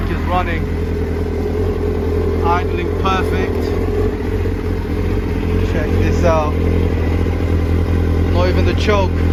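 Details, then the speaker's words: Kawasaki Ninja ZX-9R four-cylinder, left outdoors over four years, first start during restoration on choke: steady, even low rumble with no misses or knocks, clean idle, some smoke, earlier leaks likely overflow; normal idle. "the choke ticking over nice idling perfect smoking can't see any more leaks oh guys so the bike starts and runs alhamdulillah"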